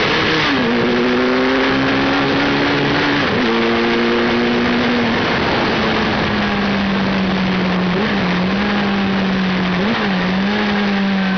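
Engine revs rise and fall with brief stumbles and hitches in the note; that points to misfiring from an ignition fault.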